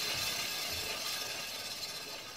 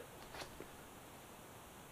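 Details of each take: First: Kawasaki Ninja ZX636 (ZX6R) during rebuild, front wheel hand-spun before caliper removal: gritty, hissing scrape with light rhythmic rasp each turn; sounds dirty, owner unsure whether the front brake calipers or dirt in the axle or bearings is the cause. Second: Kawasaki Ninja ZX636 front wheel hand-spun with the brake calipers removed: nearly silent, only a faint hiss and light tick, no scraping or grinding. The calipers were the cause of the earlier front-end noise.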